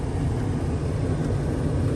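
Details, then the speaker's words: 1980s GM G-body HVAC, blower on max with windows up: strong steady low rush of air, no rattles or surging; air exits only defrost vents, not dash vents, blower motor running on high. "Okay, so you hear the airflow. Nothing is coming through here."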